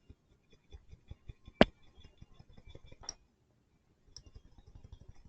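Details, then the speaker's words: Old receiver-drier from a 1991 Miata R12-to-R134 AC retrofit shaken by hand: light, irregular clicking and rattling in bursts from loose internals, unlike the silent new one; time to replace it. "you can actually hear it so that's the difference between the new one and the other one can hear that moving there so yep it was time to replace it"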